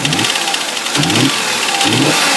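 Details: 2005 Audi A6 C6, 2.4 BDW engine, bought with a knock the previous owner blamed on hydraulic lifters; an oil pressure gauge is fitted for testing. Running, it gives a hard metallic knock surging about once a second: piston slap with pistons hitting the head.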